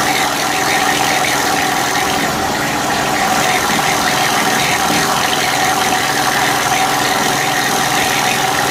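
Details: Honda EU3000is generator, partly disassembled, refitted with old gaskets, started on choke: even hissy running, thin steady tone, faint busy clatter underneath; owner thinks some noise comes from the crankcase, unsure if normal.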